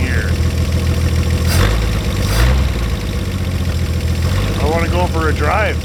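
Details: 1950 Chevrolet Fleetline Deluxe six-cylinder, just started after sitting for years, cold winter day: smooth, even low idle with steady beat, no knocks, misses or ticks; great-sounding engine, normal idle.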